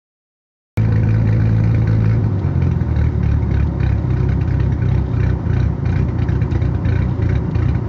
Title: Misfiring and hard idling 10vt